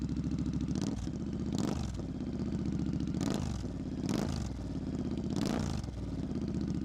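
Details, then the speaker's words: Modern twin on pipes, started with clutch in and the start button, cold and first start of the day, revved only lightly: lumpy idle with about five crisp blips rising and falling cleanly, aggressive tone; normal cold idle and light revs. "So it sounds really cool with these pipes on. Give you a little listen. Won't rev it too much because it is cold. We just haven't started it today."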